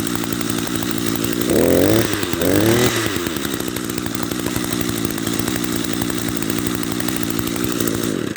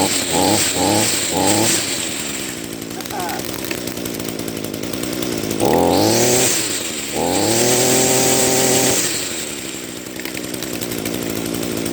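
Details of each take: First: Echo SRM-210 trimmer after carburetor rebuild with Zama RB-188 kit, idle screw turned in half a turn while running: small two-stroke holds a steady even buzzing idle, no surging or stalling. Normal idle. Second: Echo SRM-210 two-stroke grass trimmer, first run after carburetor rebuild with Zama RB-188 kit: small engine barely ticking over, slow and uneven between throttle blips; idle speed set too low, idle screw needs turning up.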